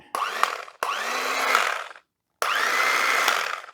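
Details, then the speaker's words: Sunbeam Carve Easy electric knife powered up without blades fitted: three short bursts of smooth, even high-pitched motor hum spinning up cleanly; runs fine, just needs a clean. Healthy motor run. "That sounds pretty good. Looks like it runs fine. Needs a little bit of a clean."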